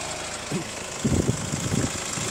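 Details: Hyundai ix35 CRDi 136 hp diesel, warm idle: irregular dull crunching knocks over steady hum, heard from wheel side; vanishes after oil change, returns in weeks; chain damper tensioner replaced 1.5 years ago, dealer disassembled, found nothing; source unknown.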